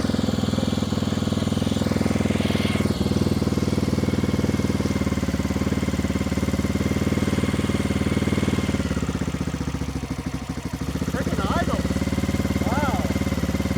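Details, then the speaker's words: 1994 Honda XR650L single-cylinder, unstarted 14 years, first start after spark restored, with choke, fed from a gas can, some smoke: fires and settles into a steady, even idle thump with a brief dip; healthy running. "wow 14 years of sleeping day one we got it fired up at that idle"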